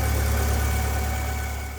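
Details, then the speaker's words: Alfa Romeo 145 Cloverleaf, 11,000 miles, start-up: starts quickly and settles to even low idle with no tapping on start-up, indicating the cam variator is good; engine reasonably healthy. "what we're listening for is a tapping sound when you first started up which there isn't one so the variator in this is pretty good the engine starts up fairly fast as well so you can tell it's reasonably healthy for a car which is done 11 000 miles"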